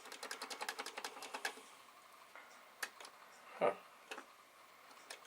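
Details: Commodore SFD-1001 IEEE single disk drive on a Commodore 8296, working after a swap of three chips, reading and cataloguing the disk: quick even run of light ticks, then scattered single clicks; normal head stepping.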